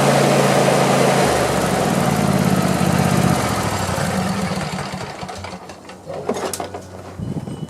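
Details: Craftsman YT4000 lawn tractor, after sitting in a barn for years, runs evenly for several seconds, then winds down smoothly to a stop with no knocks or backfire. Nothing abnormal is heard, and it likely needs only a cleanup.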